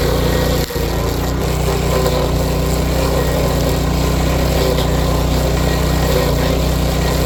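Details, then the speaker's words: Power King stump grinder cutting a stump after its grinding wheel bearings were replaced and the teeth sharpened. Steady engine drone with no knock from the wheel; the clutch growl is considered normal. Runs smoothly. "So, but yeah, knocking noise is gone from the wheel, so that's good."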